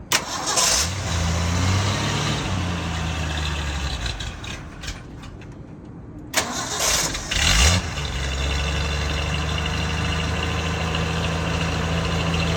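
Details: 1966 Bronco cold start: cranks briefly, catches and settles into a steady even idle with a brief blip, no knocks or misfires; normal cold start and idle.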